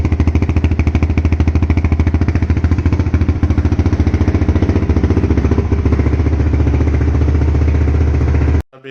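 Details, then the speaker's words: 2008 TRX450R electric-start ATV after repair of a crank/no-start fault in the starter clutch/reduction gear: it starts and idles with a strong, even single-cylinder thump at about three and a half beats per second. "for this video as you can see we fixed the problem"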